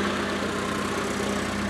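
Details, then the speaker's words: ZAZ Tavria/Slavuta engine after head gasket replacement (overheated to 100°C at 90–100 km/h), cooling system refilled: smooth even idle with steady low hum, no ticking or misses; temperature stable, running normally. "Động cơ vận hành trơn tru, ổn định."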